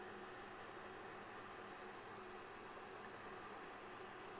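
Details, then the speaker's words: Kywoo Tycoon Max 3D printer printing, mic held close: only a faint, even power-supply fan hiss, no stepper whine or knocking; running quietly and normally. "so honestly i think the only fan that i'm really hearing a lot of is the power supply i don't think i'm really hearing anything else"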